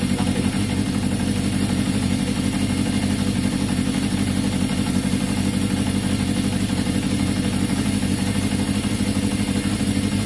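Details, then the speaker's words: 1981 Yamaha XJ550 with an intermittent fault, during a brake-fluid spray test for air leaks: idle stays steady and even, neither rising nor falling, so no air leak; normal idle. "so definitely nothing to do with airflow there guys you could hear the engine no it didn't change at all so no no it didn't rise it didn't fall"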